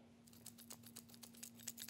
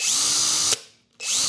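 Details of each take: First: Hercules HC92K1 hammer drill (brushed motor), fresh out of box, no battery fitted, shaken by hand: light dry clattering ticks about four per second after each shake, some loose part rattling inside the housing — internal rattle. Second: Hercules HC92K1 brushed hammer drill, new out of box with 2.5 Ah battery: two short trigger pulls, high even motor whine spinning up and winding down cleanly, normal running; something rattles inside when shaken.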